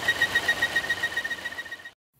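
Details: 2016 Volvo XC90 idling: high, pulsing chirp/whistle about seven times a second, code P0171 lean, goes away when oil cap is pulled; failed PCV oil trap breather needing replacement.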